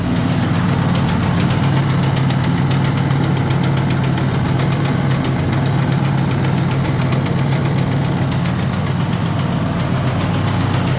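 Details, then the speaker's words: Cub Cadet RZT 54 zero-turn mower: a loud, steady knocking, close to four a second, over the running engine before shutdown; the engine is not the cause, the drive system is suspected, leading to drive belt replacement. "And before everybody freaks out, no that's not the engine. Even though they are trying to blow it. All these dang colars have oil leaks. Nobody wants to fix them. But I'm suspecting the drive system. Something's gone arry with it."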